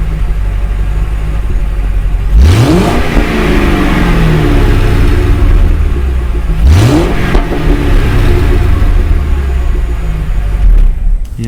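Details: Inside the cabin of a 2006 Mercury Grand Marquis while driving, after an OEM dual-exhaust swap with the rear cats deleted. Deep rumble rising through two pulls and dropping cleanly at each shift, no rattle or leak: normal exhaust.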